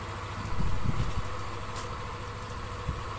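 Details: Yamaha NMAX scooter, formerly rough-running, hard starting and spraying radiator coolant from compression leak, after rebuild with new gaskets: low, soft, even idle thrum with no rattle or knock, small blip near start; smooth, fixed.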